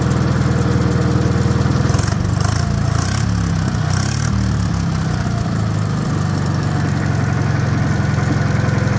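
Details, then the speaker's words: Wisconsin THD air-cooled twin, rebuilt with 20-over pistons and bored, fitted with a flush head that tucks into the shroud; even, steady low thump, no clatter or ticking; the head makes it quieter; normal running. "I just kind of thought that head was cool, but man, it definitely makes it quieter. It really does."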